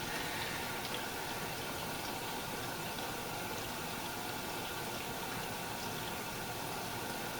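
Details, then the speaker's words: Samsung dishwasher filling and circulating after removing plastic debris from the circulation pump that caused grinding; smooth water rush and pump hum, no grinding. "sounds better okay guys that's how it's supposed to sound no grinding noises nothing like that"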